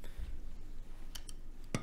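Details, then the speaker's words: Mid-1980s NAD amplifier, listed as bad power transistors; at switch-on the protection relay clicks on then straight back off, a few quiet sharp clicks; music plays if relay forced closed, cause not confirmed. "so we can see when I turn it on it pops on and then it pops off again enforcing that relay closed uh the music works"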